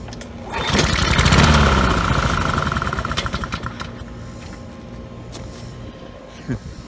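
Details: Neglected Honda Harmony II push mower, air filter missing, sprayed with contact cleaner: catches with loud even chug for about two seconds, then fades and stalls; likely fuel delivery problem.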